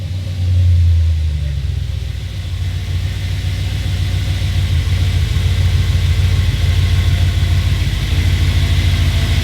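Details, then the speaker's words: Audi B7 RS4 V8, cold start after replacing a sensor for EPC/CEL codes: deep steady idle with an even whir from the secondary air pump working normally; a screeching noise when cold had just gone away, EPC light off, traction control light still on. "the Sai is working real good too there"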